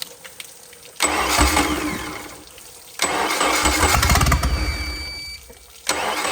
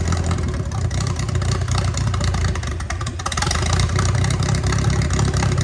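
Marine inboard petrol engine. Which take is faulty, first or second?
first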